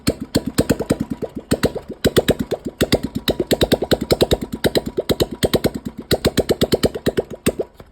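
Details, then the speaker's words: Royal Enfield Thunderbird 350, 2009 single, after head work for oil starvation and sticking valves, plus new piston rings: steady even thump about seven firings a second, no tapping from the head. Much quieter than before; normal idle. "गाइ आपने पहले आवाज इसकी check करी होगी कितनी गंदी आवाज थी और इस गाड़ी का भी हड शांत हो गया और ये और ज्यादा साइलेंट दिखाते हैं आपको"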